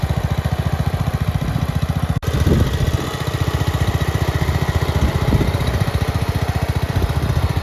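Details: Red 1962 Bolens Ride-a-matic tractor, first start after restoration work, with some choke: an even single-cylinder thump of about 220 beats a minute with no misses or knocks; runs clean and healthy.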